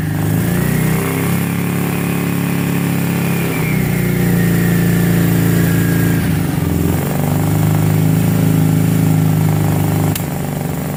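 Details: 2006 Kawasaki Brute Force 650 V-twin quad, warm, after resetting tight front valves (0.008 and 0.004 intake): uneven idle and blips, stumbling beat, sharp pop near the end; front carb backfiring, fixed by clearing the extra-fine carburetor holes.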